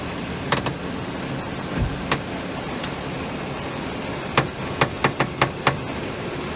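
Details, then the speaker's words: 2011 BMW 535i idling while steering is turned, stethoscope on the sway bar picking up irregular sharp cracks and clicks in short bursts; crackling suspected from sway bar bushings, unconfirmed. "Then I put it in other spots and I really don't hear nothing, but when I put it here or here, I really hear that crackling."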